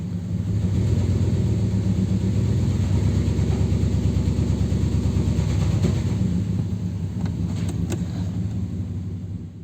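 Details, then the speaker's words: 2002 Dodge Ram after an engine wash, check engine light flashing: rough idle with uneven puffing at the exhaust; cylinder misfire, suspected water in the spark plug/coil wells. "Presenta falla de cilindro, el foco del check engine parpadea. El escape se escucha una especie de soplido."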